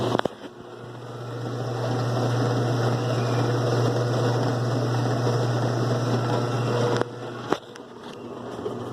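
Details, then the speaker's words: 2005 Kenmore 70 Series direct-drive washer on slow spin: steady low droning hum with a rough whir, cutting off abruptly; water pump suspected noisy, believed dirty inside. "este problema puede ser la bomba del agua que está Ardiendo el ruido creo que está sucia por dentro"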